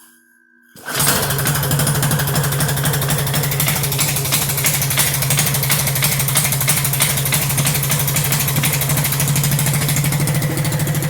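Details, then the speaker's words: Hisun Coleman CT200-U after Go Power Sport Stage 1 kit install, started with push button and choke: fires up and settles into a steady, even low idle with no knocks or misses; sounds a lot better. "Sounds good. Oh yeah. A lot better."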